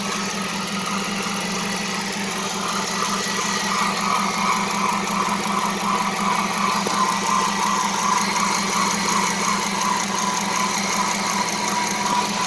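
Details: Dodge Charger R/T 5.7 Hemi after new serpentine belt and tensioner pulley: faint on-and-off high chirp over smooth idle; owner hears a belt or pulley squeak, suspects belt too tight or pulleys misaligned, not confirmed.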